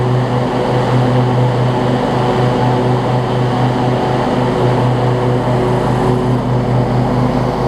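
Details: Three-year-old Husqvarna rider mower with a 24 hp Briggs & Stratton V-twin and 48-inch deck, after an oil change and a fix for an oil leak from a loose filter; a steady, even drone at constant speed, running perfectly.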